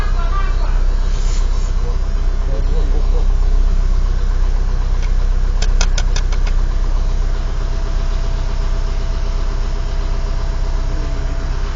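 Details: Warm engine at idle: steady low rumble with a regular dull knock about two to three per second; engine knock, cause not found.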